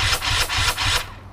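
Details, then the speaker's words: 2015 Husqvarna 250 TE with BRC 500 engine kit, SmartCarb 40mm with TPS and PowerCDI, first start on electric starter with choke on: laboured whirr surging about four times a second, then dying, cranking slowly without catching; decompression release tried next. "does crank it bit slowly when you pull"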